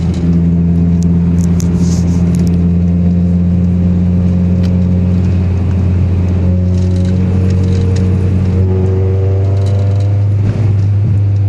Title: Gsr misfire